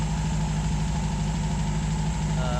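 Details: 1951 MG TD back home after a hot drive, treated for vapor lock with a heat shield, cleaned carbs and ethanol-free gasoline; an even, steady, smooth low tick-over with no misses or stumbles. Normal warm idle.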